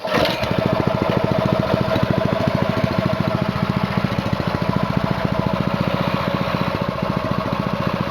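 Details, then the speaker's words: New Honda GX200-clone single-cylinder engine for a Split-Fire 2265 wood splitter, being broken in after two 20-minute runs, restarted after sitting, choke off: catches quickly into crisp, evenly spaced firing pulses, no misses or knocks; normal running. "I'll show you that it fires up on idle. So we're on idle, choke's off, gas is on, throttle's on."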